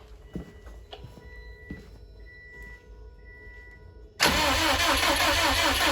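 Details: 2007 Subaru STI crank no-start: faint clicks and quiet tones, then steady fast cranking near 2.5 beats per second that never catches. The fuel pump had no power; it was wired into a switch, and a leak was found at an injector.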